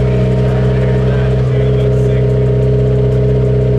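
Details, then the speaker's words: Honda S2000 AP2 with Greddy turbo kit, just-installed exhaust and ECU flash tune, start-up in an enclosed space: deep, smooth, throaty engine note revving steadily, louder than expected, no ticks, rattles or leaks; healthy. "The exhaust sounds great. The exhaust sounds really nice. It's actually louder than I thought it was gonna be, but it's like deep and throaty. It sounds good. Super smooth too."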